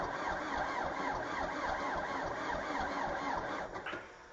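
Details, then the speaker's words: Valmet 903 tractor diesel in very cold weather, fuel-fed preheater not engaged: steady starter cranking about four beats a second for four seconds, never fires, then stops; cold crank no start. "And it didn't want to start. And that's because I didn't engage this little part here. And the part here is it's not a glow plug heater, but it's a heater, preheater."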